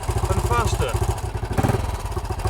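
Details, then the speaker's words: 1968 BSA Starfire single idling as the mixture screw is set after raising the idle screw: steady, even firing pulses, beat shifting slightly. "I'm going to set the mixture on this screw here if you turn the screw one way or the other the engine will run happier"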